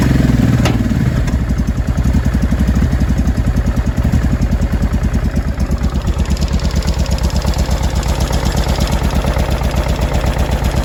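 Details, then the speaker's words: 2005 Honda Deauville NT650V V-twin after carburetor check (vacuum pistons repositioned, pilot screw set), warmed about three minutes, choke off, idle set low: even steady low thumping idle with no popping or backfiring; healthy. "that took about three minutes to warm up i don't know what was in it but whatever it was cleared there's no popping and banging no exhaust type noise"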